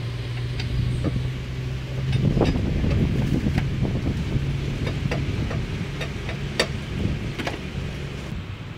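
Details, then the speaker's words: Kombi (VW van) wheel turning: low road rumble with irregular light metallic ticks and rattles, long mistaken for a wheel bearing; actually a small bracket behind the wheel came loose, third time it has loosened, to be refastened. "A primeira coisa que a gente vai resolver é esse barulhinho aí. Que tá fazendo barulho há um tempão, quando a roda gira, todo mundo tá achando que é rolamento. Não, gente, é esse ferrinho atrás da roda aí que soltou."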